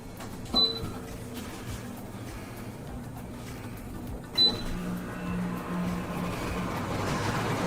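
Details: GE window air conditioner after replacing the UI control board, which had made it beep then turn off: two short high beeps, then the fan spins up to a steady, even whoosh with a low hum, normal startup.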